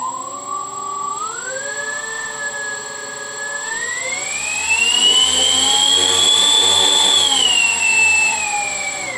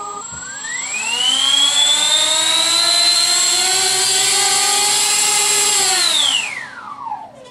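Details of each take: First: Tritle Douglas DC-6B RC model airliner, electric motors just wired with normal and counter-rotating props: clean motor whine rising and falling with throttle, rough scraping as prop rubs on the stand; sounds fine held up alone. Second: RC Tritle Douglas DC-6B model with normal and counter-rotating props, electric motors run up while held free of the stand after earlier rubbing: smooth whine rises with throttle, holds, winds down evenly, no scraping; normal motor run-up.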